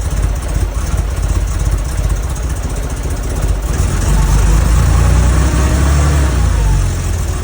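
Uneven, lumpy low idle that wavers and surges slightly instead of holding steady; rough running consistent with vacuum leaks.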